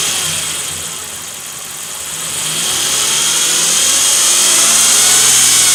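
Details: 2007 Nissan Frontier, problem appeared suddenly: a high, thin whine over the idle that climbs as the revs rise, the common timing chain issue covered by Nissan bulletin NTB09-128 and repaired by the dealer.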